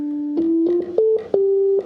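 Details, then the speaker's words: 1965 Hammond A-122 organ after a foam job, vibrato off: pure steady notes played one after another, clear with no background hum or whisper; these tones are clean, unlike upper tones with generator leakage. "We have some tones that are just, I'm gonna turn the vibrato off, just super clean."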